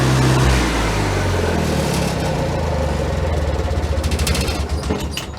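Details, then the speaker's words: Generator engine after cleaning the carburetor and readjusting the float, with replacement oil-bath air cleaner and exhaust elbow, not yet up to temperature: deep, fairly steady low thrum, running evenly with no stumbling or hunting, much better than before. "So it's running a lot better. That I cleaned the carburetor out and readjusted the float."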